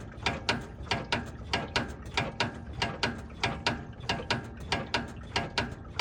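Sharp mechanical clicks repeat about one and a half times a second in a steady rhythm; a front-end clunk, cause not yet found.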